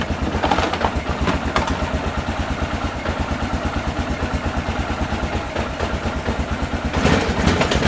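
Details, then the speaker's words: 2001 Honda Rincon ATV, sat over two years, cold and just taken off choke: lumpy uneven idle about three pulses a second that stumbles and surges; runs rough, choke put back on. "try to get some oh she's hitting a little rough let's put it back on Chun little"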